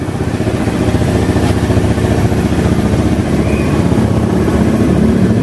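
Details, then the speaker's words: Honda Beat carburetor scooter after fixing starter that only clicked "tek tek" (starter wiring rerouted): steady, even single-cylinder putter with no starter clicking; idling cleanly and healthy. "Oh. Normal udah ini. Aduh normal sudah."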